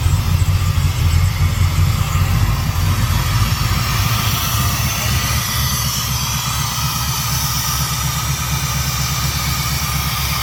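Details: Chevy C-10 shop truck V8 started for the first time after swapping a Killshot for a Royal Flush; deep, steady rumble settling from a busier start into an even idle without stumbles, idling properly.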